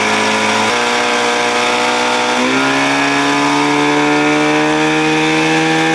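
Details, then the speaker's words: 1979 Evinrude 55 hp outboard, idle screw turned in: in neutral the tone steps up twice on its own and holds a high, steady buzz; owner suspects a float needle not seating, later a throttle roller off the cam; unconfirmed. "i can i can tell by that noise float needle not seating sucking gas oh jesus man nothing like i said nothing has changed"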